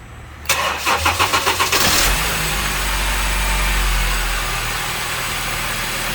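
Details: 2013/14 Honda New Civic 2.0 with hard-start complaint cranks slowly and heavily, about four beats a second, before catching and idling; battery voltage drops a lot while cranking, retest pending after battery recharge; accessory belt tensioner also noisy.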